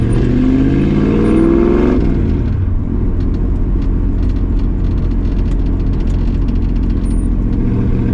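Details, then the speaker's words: 1965 Ford Mustang 302 V8 on test drive after replacing driver-side header gasket to fix exhaust leak; deep even rumble pulls through a rev and cruises smoothly, no ticking or backfiring as before; exhaust sealed, normal running. "The last time I came there, whenever I did that, it backfired. It was so bad. It's not backfiring no more."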